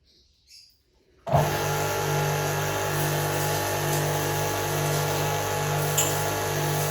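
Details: Pumpkin Chicago pressure washer with water hose connected: motor kicks in and hums steadily with a light regular pulse, never loading up; no pressure, pump not drawing water, water only leaking from the housing.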